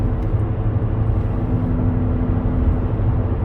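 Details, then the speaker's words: 2017 Buick Enclave, 130,000 km, cruising at 100 km/h: steady low droning hum from the right rear over road noise, changing when turning right; rough-feeling right rear wheel bearing. "it sounds like a rear wheel bearing to me you should be able to hear it now it's 100 kilometers an hour definitely a wheel bearing type noise because when i turn to the right"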